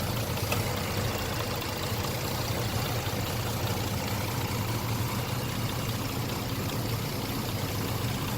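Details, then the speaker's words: 2004 Dodge Durango V8 at idle: steady idle with a faint quick tapping in the valvetrain clatter, owner unsure whether it is a tick or a knock. "something between a tick and a nap or maybe even both"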